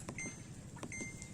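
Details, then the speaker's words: Samsung 11 kg washing machine after repair, tested outdoors: power on, water level selected, start pressed; two brief high beeps a second apart then a sharp click, panel responding normally. "ผมเ้ากดสตาร์ทเอ้กดเปิดก่อนปึ๊กนะครับผมสิกดเลือกระดับน้ำก่อนนะดครับ"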